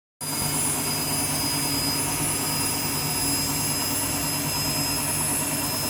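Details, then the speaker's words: Washing machine on an empty rinse cycle, final spin: loud, steady jet-like roar with a high whistle from failing drum bearings. "hear that the bearings are going."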